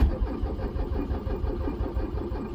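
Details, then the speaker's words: Vehicle not started in years, with its battery completely flat, cranked on a 2000A lithium jump starter: heavy, labored low cranking chug that never catches or picks up speed; a flat battery barely turning the diesel over. "So this thing is completely dead, and it still cranks it over a little bit."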